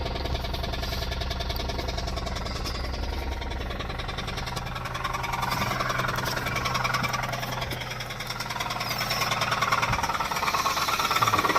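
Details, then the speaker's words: 2006 Pontiac G6 after oil filter housing gasket replacement and fresh oil: steady idle with a hard, regular knock three or four times a second, rising slightly when revved; owner suspects a knocking rod. "I mean, it's a knocking rod. It's got to be."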